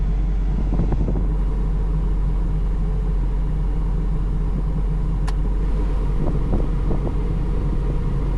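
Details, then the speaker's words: 1988-1991 Honda CRX Si after blower motor replacement: deep, even low rumble at idle with the air conditioning and new blower running, no knocks or squeals; this vibration is normal. "vibration that you're hearing is normal on the vehicle."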